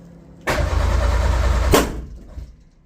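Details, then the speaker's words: Metro GTI race car on standalone management, cranking ignition angle set to 8 degrees: about a second of cranking, then one big bang and the starter locks up dead, same as the previous attempt; kickback during cranking, cause unconfirmed. "That was a big bang. Now it's just locking up again. It's exactly the same as what I had last time."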